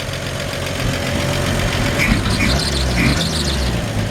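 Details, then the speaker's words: 1954 Chevrolet 3100 pickup: smooth, even petrol idle, engine purring, with a few faint, short high chirps from a slightly squeaky drive belt. "you can hear just this engine purr like a kitten i mean it just has a little squeaky belt"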